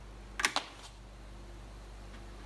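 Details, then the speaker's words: YUANJING TPA3116 4.1 Bluetooth amplifier board on a supply of about 20 V. A sharp double pop at switch-on, then quiet hiss and a faint click. It follows TI's recommended schematic, which lacks turn-on pop suppression, so the turn-on pop is aggressive. "And so this board, following the recommended schematic, does have a pretty aggressive turn-on pop."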